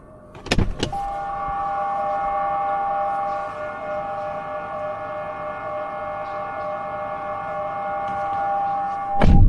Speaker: Now, you can probably hear that noise. You can hear it beeping. That's to let me know there's stuff in my way.